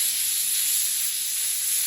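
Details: Hatsan Blitz air rifle filled from scuba tank to about 3000 PSI; steady sharp hiss of air venting at even strength for two seconds as fill line is bled off via bleed screw, normal.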